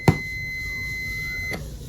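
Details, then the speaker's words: Multimeter continuity test on a 12V DC delay relay (adjustable 1–30 s) gives a steady high beep about 1.5 s long between common and the normally closed contact; contacts closed, while the open contact stays silent. "y con este del lado de acá es abierto, no suena. Cerrado suena, abierto no suena."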